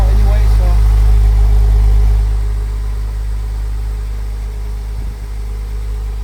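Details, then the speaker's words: Porsche Boxster 986 start after radiator replacement, new oil separator O-rings and air leak fix, in neutral: starts fast and settles lower after about two seconds into an even, steady idle, no stumbling or misses, no smoke; idling normally. "But, I'm going to start it up. It's a big difference now the way the car runs. Make sure it's in neutral."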